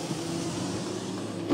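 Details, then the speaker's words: GM car with U1170 loss of serial data from driver door switch, passenger window commanded via scan tool bi-directional test: steady even motor whir about 1.5 s ending in a soft thump; window motor healthy. "good going back up"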